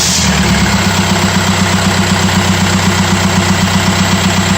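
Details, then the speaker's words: 2004 Audi allroad swapped to a 2.0 TDI BHW PD engine, after starter replacement and reseating the starter away from an aftermarket flywheel: it starts at once into a steady, even diesel idle. The owner still hears slight starter noise and suspects it sits too tight against the flywheel. "so I loosened the bolts off slightly and then just cranked it over a couple times and that got a situated the starter and I just then tighten the bolts back up and it sounds good now and starts right up"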